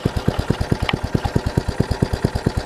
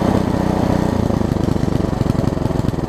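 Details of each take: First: Troy-Bilt Tuffy rear-tine tiller, small single-cylinder engine, reassembled carburettor diaphragm, at full throttle on full choke with a finger over the intake: sharp evenly spaced putts, no steady idle; runs only choked, drawing too little fuel, one screw not fully in. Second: Troy-Bilt Tuffy rear-tine tiller, rebuilt from parts after carburettor diaphragm refitted, third start attempt: sharp regular firing pops turning uneven and surging; engine runs on its own but roughly.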